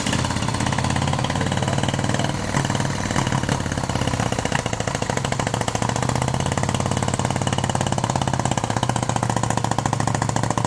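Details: 1971 Moto Guzzi Ambassador V-twin, 4-speed, under full restoration with changed crank and new rings, first fire-up: even, steady idle, quiet top end, hardly any valve rattle; motor sounds tight and healthy, normal idle.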